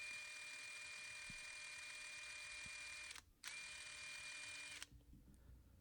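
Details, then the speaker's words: DeWalt impact driver trigger issue: the steady high motor whine shows a slight lag and cuts out briefly on and off mid-squeeze. This is a common trigger switch problem, fixed by working the switch with repeated squeezes, or by dismantling the switch if worse. Intermittent trigger switch contact. "difficult to hear unless you know what I'm talking about, but there is a slight lag and a slight little little knock on and off."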